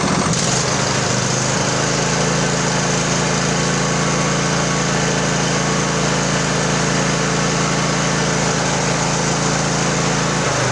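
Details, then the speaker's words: Craftsman LT1000 20hp riding mower after carb repair, fuel solenoid now working, new plugs, primed carb, no choke: fires within a second then holds a steady even hum with throttle, no misses or surging; runs cleanly. "i like it i like it a lot just stand by a sec i got some company"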